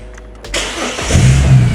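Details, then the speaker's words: Ford BA turbo (XTT747) after fitting a new starter; before, it only clicked at the solenoid: brief crank, catches immediately and settles to a steady even idle with turbo sound; start-up healthy. "All right, we're back to cooking with gas. Beautiful. Got to love the sound of that turbo. Sounds like a bloody bell helicopter."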